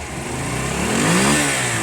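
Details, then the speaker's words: Honda CB250 cafe racer, idle adjustment cut, idling a bit low; quick clean throttle blip, revs rise smoothly and fall back without stumbling, sounds better and healthy: normal revving. "I think this sounds better. I think it sounds better, guys."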